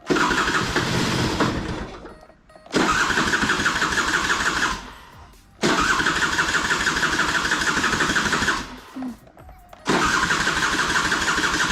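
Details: Piaggio Skipper 150cc scooter, hard to start on kick and starter, catching in harsh loud bursts and dying each time; piston scuffed and seizing, loud engine.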